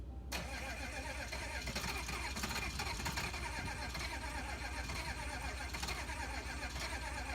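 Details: 1986 GMC dually, 6.2L diesel, rewired after sitting over 2 years: starter chugs unevenly, turning the engine over for several seconds without it catching; hard start.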